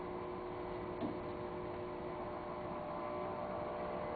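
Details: 20-year-old electric player piano vacuum pump turned down until the music stops playing: a steady low rumbly hum with a faint mechanical flutter. It is an old, worn pump.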